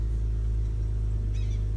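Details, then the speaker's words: BMW E36 six-cylinder OBDII after idle control valve replacement, with new grommet and hose: smooth steady low rumble at a slightly high idle, no hunting or stumbling. "all right idling I'll be it a little high but hopefully it comes back to"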